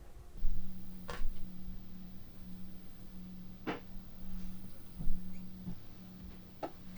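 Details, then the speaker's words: Corsair RS120 ARGB PWM case fan in a Frame 4000D RS ARGB case at about 25% duty, around 540 rpm; faint steady low hum with no rubbing or ticking, quiet and healthy. "So let's move it up to around about 25%, which I think most people would be relatively happy with. So there we're going to be about 25%, which is going to be around about 540 RPM."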